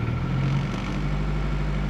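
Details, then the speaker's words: 2000 Toyota Celica GT 1.8L petrol engine idling rough and lumpy from a dead misfire on cylinder 2 (bad ignition coil pack, P0302) and weak spark on cylinder 3, with multiple-misfire code P0300. "due to this dead cylinder number two and a wig Sparkle number three which show you guys real quick the missar codes currently it shows a p300 which is a multiple missart due to that number three"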